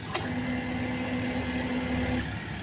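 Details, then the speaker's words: Injected motorcycle fuel pump priming on a weak 11.2-volt battery: steady low hum with thin high whine for about two seconds then cuts off. "sama ngikutin arus aki, Mas Bro. Seperti ini untuk suara pulpam-nya, Mas"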